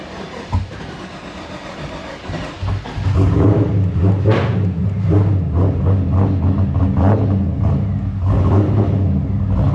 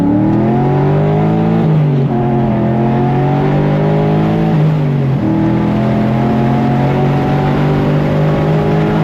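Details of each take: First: LS V8-swapped Infiniti G35 with a cam, first start after fuel line disconnection and fuel pump work: several cranks before it catches, then a lumpy idle that sags as if it will die. Owner suspects insufficient fuel. Hard start and stalling. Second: LS V8-swapped Infiniti G35, run hard after 2–3 weeks parked: strong, clean pull through the revs with crisp upshifts and no misses or knocks. Fuel trims and oil pressure are good at wide open throttle. Healthy engine.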